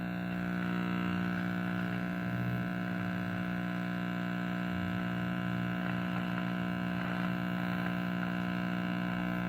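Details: Early-1940s Trutone D1203 tube radio, six-tube transformerless set with folding chassis, at power-up on test: loud steady low hum with buzzy edge, not fading; filter capacitors due for replacement, smoothing fault suspected.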